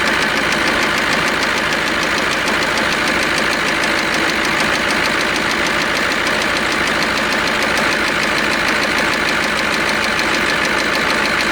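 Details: KAMAZ diesel truck with crane that is knocking and expelling antifreeze, coolant bubbling: loud even idle with hard rapid knocking throughout; suspected sticking injector, cylinder liner, or compressor, not confirmed; diesel engine knock.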